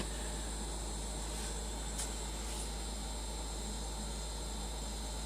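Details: Two-year-old LG refrigerator LFXS24663S, compressor running; low, steady compressor hum with soft fan hiss, no rattles or buzzing, normal quiet run.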